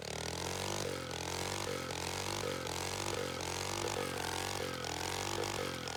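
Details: Tecumseh OHH50 single on a vintage Manco American Express go-kart, fresh rebuild, rigged fuel pump, cold icy weather: revs climb then sag about every three-quarters of a second on throttle, bogging off the line; the owner suspects it needs a bigger main jet.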